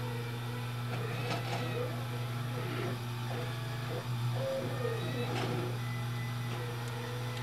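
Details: Taig CNC mill about 8-9 years old, run by an old half-step unipolar Taig 2000 controller through Mach 4 on a LattePanda with an Ethernet SmoothStepper: steady low hum with rough, uneven buzzing rattle as axes creep, normal half-step stepper roughness.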